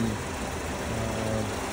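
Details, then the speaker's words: 2013 Mazda 5 at auction, started with a jump: smooth, even low idle with no knocks, ticks or misses; sounds pretty good, normal idle. "actually sounds pretty good as you can hear there"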